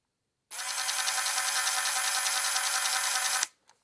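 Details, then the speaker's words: Ridgid subcompact cordless drill driver, brand new: runs about three seconds with a high whine and a rough, gritty grinding edge, which should not occur. The owner suspects the gears, as similar noise meant stripping gears on another tool. "But this one, I already got it boxed up, but it makes like a kind of like a grinding noise. like this one does."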